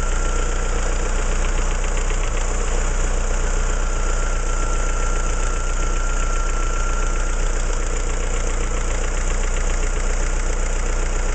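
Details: Opel C16XE engine at steady idle with a fast, uneven tick, roughly three per second, under the engine drone; abnormal noise, no clear cause identified.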